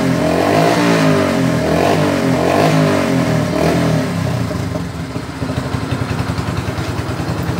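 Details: Yamaha Byson motorcycle single after carburetor service and chain adjustment: climbs and drops cleanly through several blips, then settles to an even, regular idle thump; running well.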